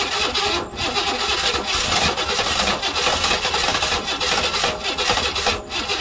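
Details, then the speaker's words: 1968 Buick Riviera parts car V8, battery getting low: steady starter churning with even pulses slowing slightly, no catch or run-up; cranks but won't fire, owner suspects timing issues, plans to find top dead center. "The battery's getting kind of low and the engine started to slow down a bit. We're having some timing issues."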